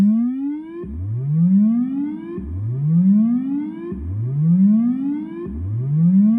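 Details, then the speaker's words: Fender Blues Deluxe reissue 40 W combo tube amp on current-limiting bulb, bias likely cold, fed a square/triangle test wave: rising tone repeating with full lows, clean mids and reverb tail; tone stack and reverb healthy. "There we go. A lot of low end beef there. Mids are good to go."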